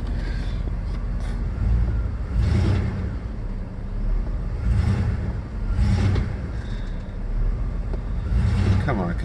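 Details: 1996 Jeep Grand Cherokee after cleaning ECU connectors with contact cleaner, warming toward operating temperature; engine revs up and back down smoothly in even swells every couple of seconds, no stalling or stumble; normal running.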